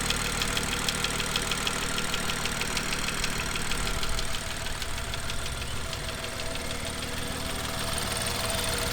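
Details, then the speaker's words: BMW M2 N55 engine, sped-up cold-start warm-up cycle; rapid light tapping over idle, following engine speed, from exhaust camshaft area; fault in exhaust camshaft, fixed by BMW under warranty. "so as you just heard um it definitely didn't sound right um the engine was tapping loudly from the exhaust camshaft um area"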